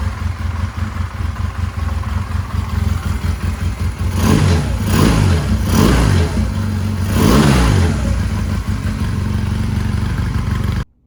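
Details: 1999 Honda Rebel 250, old oil still in: steady low idle with three quick throttle blips, even firing, no knocks; slight idle hang, fuel screw not yet adjusted; running smoothly.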